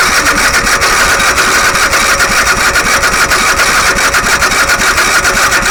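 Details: Engine unrun for over 15 years, starter refitted and used fuel filter installed, on choke: steady starter chugging about three to four beats a second that never catches or fires; cranks but won't start.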